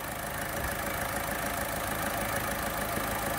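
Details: Volkswagen Polo overheating, radiator fan motor burnt out and replaced with a second-hand one: steady idle with AC on, compressor clutch engaged and new fan running with a smooth rush of air, no knocks.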